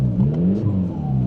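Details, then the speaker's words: Honda Civic diesel running with the exhaust removed: deep, throaty, loud low drone that swells as the engine pulls, raw and unmuffled, described as meaty with good heft. "It's got a good bit of power without the exhaust on it. It sounds, well, what do you think, Joe? I think it sounds meaty. There's a good bit of heft to it."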